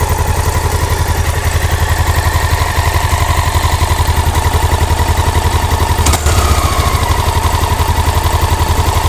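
Loud, regular clacking at about four per second over a thumping single at idle, rising with engine speed; source of the clack unknown.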